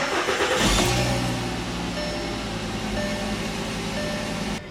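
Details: 2010 Volkswagen Jetta SportWagen 2.5 SE at 138,439 miles, started on flat ground: brief crank that catches within about a second and settles straight into a steady, even idle with no stumble; a normal start.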